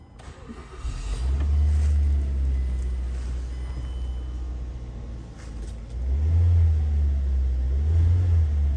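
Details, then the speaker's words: 2007 Mazda after an engine mount replacement, for a customer complaint of rattling and vibration while driving and shifting: the engine starts and revs twice with a deep, even rumble, no more rattle. "better yeah no more no more rattling maybe not by ship no more very easy to fix guys"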